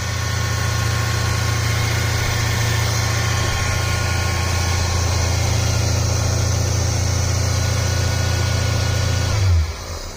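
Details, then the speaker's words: Cadillac Eldorado 507ci V8 first start after a year of storage, fuel poured into carburetor, warming up: deep, steady, even lumpy V8 idle until shut off — normal idle. "Oh, that's good. Sounds good. It's running. Let's stay away from it for a bit. Let it warm up."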